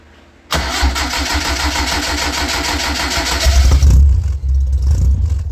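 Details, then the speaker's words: D50 truck after a homemade straight-through muffler replaced the cherry bomb; the engine starts and settles into a deep, loud, throbbing idle with a raw, brash but steady rumble. Sounds better, similar at idle. Loud exhaust note from the straight-through muffler. "I think it sounds better. I think it kind of sounds similar at idle. Can't wait to hear it on the power. But it definitely sounds better."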